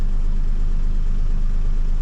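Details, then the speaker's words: Duet car after throttle work, in drive, radiator fan on: steady even low rumble, no dips or stumbles; idle still somewhat high but engine doesn't stall and holds in park; owner nearly satisfied. "то есть она не глохнет как бы ничего но и ей хватает"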